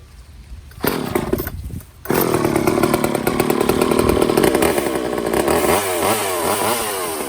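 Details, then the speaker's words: Old Craftsman chainsaw after a Walbro carb rebuild with new fuel lines, fuel filter and homemade air filter: revs crisply to a high scream and holds speed through the cut without bogging; it runs healthy. "Cool, so I like the way that sounds."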